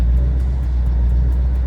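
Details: 2011 Ford Mustang GT, twin turbo, with N2MB two-step and WOT box being set up: deep, steady V8 burble with an even pulse and no stumbles or pops, settled back to normal running after misfiring on the two-step at 3,000 rpm.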